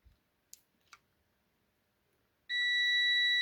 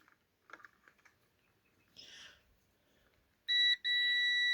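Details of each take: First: Parkside PTBM400 A1 drill press that trips the house power when switched on, switch wires disconnected, tester on continuity across the motor leads: faint probe clicks then a steady high beep, reading about 20 ohms; motor winding intact. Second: Parkside PTBM400 A1 drill press that trips the house power when switched on, tester on continuity across the power switch: steady high continuous beep with one brief break, a dead short; the switch is faulty, not the motor.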